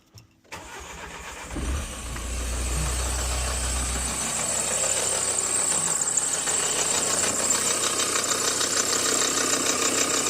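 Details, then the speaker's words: Nissan Juke whose failed A/C compressor was left in service and is no longer getting oil: on start-up, a hard, heavy tank-like clatter with a big high squeal on top at idle; the compressor is seizing and will be replaced along with the condenser. "So, you can definitely hear that it's run like a tank in that big squeak as well."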